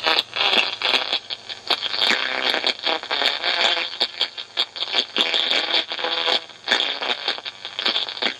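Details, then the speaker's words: 1982 Ford Industries model 1100 reel-to-reel telephone answering machine (DC bias) playing back a tape recorded with no bias: harsh, crackly, chopped-up distorted voice with heavy hiss. Likely a dead bias oscillator or missing DC bias. "If you got any recorders that sound like that, possibility is that the bias oscillator is not working at all."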